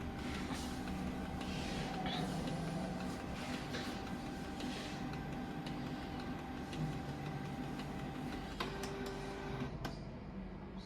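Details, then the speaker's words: Canon G2010 inkjet printer after repair of a fault where paper feed stopped partway; now whirring steadily as it draws paper in and prints, feeding normally. "นี่ครับก็ดึงกระดาษปกติแล้วนะครับ"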